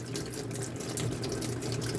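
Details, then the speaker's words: Washing machine with replacement universal control board on wash cycle: steady hiss of water rushing into the drum as the inlet valve opens normally, fixing the previous board's valve problem. "Ang valve natin, ang inlet valve, nag-open. Yan. Nag-open siya."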